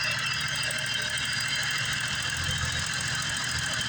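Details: 1988 BMW 535i E28 with M30 engine, warm idle with fuel and vacuum gauges teed in; new injectors, fuel pump, regulator and lines; vacuum oscillating 18–20: a steady, even, smooth low rumble with no knocks or misses. Healthy.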